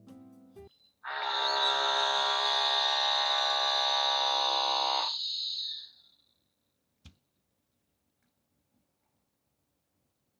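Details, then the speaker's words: Pixapresso portable espresso maker modded to non-pressurized basket, 16 g coffee with pre-infusion: steady, even buzzing pump hum about five seconds then fades, no straining or choking; normal extraction, about 35 s giving 45 g. "So the sound is okay. It doesn't feel choked. So that's the good extraction."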